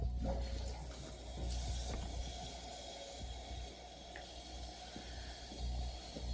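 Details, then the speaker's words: Toilet fill valve after replacing its rubber seal and flushing out debris: steady rushing water refills the tank, then shuts off with no hiss or trickle. The earlier small leak is gone, so the fill valve refills normally. "Okay, so the tank is now full. You can hear that the water has stopped running. You don't have the small leak like we did earlier."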